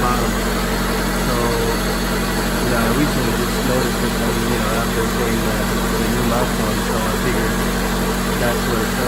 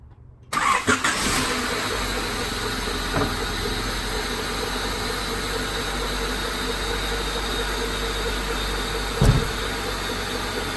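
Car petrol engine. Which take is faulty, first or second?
first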